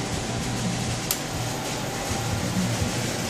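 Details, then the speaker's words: King Rich Deluxe GMV-4 CNC vertical mill with Sony control on Windows 95, spindle running forward at variable speed: a low, even hum with a soft whir and no knocking or grinding. Healthy spindle. "That's in the forward direction. And in reverse direction. And it's a variable speed."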